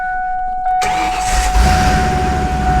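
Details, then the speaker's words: Ford Ranger with 5.0 turbo swap, turbo pipe not yet connected, new starter replacing a rattly, screechy one, push-button start: clean catch into a steady even idle; vacuum and exhaust leaks noted; normal start. "Oh, yeah. That's way better. Doesn't sound all rattly and screechy"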